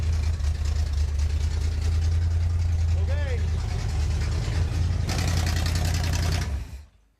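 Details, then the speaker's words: Newly rebuilt Pontiac 400 V8 (for a 1979 Trans Am) running on the engine stand during break-in: fast idle rumble with a hissy edge from an intake manifold gasket vacuum leak, then shut off until a new gasket set arrives. "So that's that. We got a vacuum leak. And we can't do anything until we find another gasket set."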